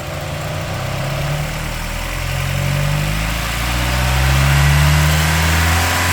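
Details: Mazda Miata at about 3800 rpm: tinny rattle/buzz over the engine note from the exhaust heat shield's broken weld; fixed by fitting a tight 4-5 inch stainless hose clamp around the heat shield.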